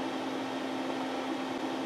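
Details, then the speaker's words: HP 8662A signal generator feeding a 10 MHz reference to an HP 8568B spectrum analyzer lacking its oven oscillator: steady even hum with fixed mid-pitched tone, no knocks or changes; running normally. "That's that noise you hear in the background as I'm feeding it from an 80 uh hilipeer 8662A."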